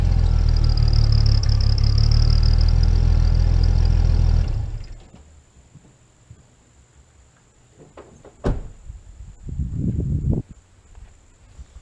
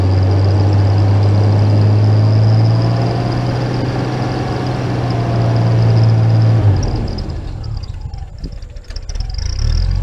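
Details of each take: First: Jeep with a replacement, different-size turbo whistle fitted in the exhaust. A faint, thin whistle rides over a rough idle and the engine almost quits after about four seconds; the damaged whistle barely sounds. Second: Jeep after a turbo rebuild, first start: a deep, even engine hum holds steady with no knocks or whistles, then eases off near the end; normal engine running.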